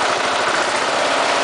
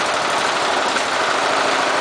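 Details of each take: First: Briggs & Stratton single-cylinder engine fitted with an oxygen sensor: even, steady idle putter with no misses when on a rich mixture; a lean mixture makes it pause and miss. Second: Briggs & Stratton small engine fitted with an oxygen sensor, running lean (sensor near zero volts, about 0.5 V wanted): fast, fairly even idle chug with occasional stumbles and misses. This engine prefers a richer mixture.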